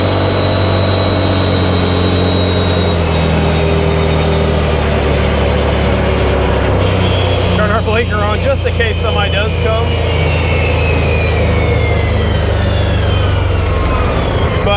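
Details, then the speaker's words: 2018 Odes Dominator 1000 X2 LT UTV on road test after spark plug replacement (previously lacked power, max 24 mph): strong steady twin-cylinder drone climbing cleanly in pitch, no misfire; engine now healthy. "I think this one's fixed here I think we got this one lift I can't believe it was just a spark plug"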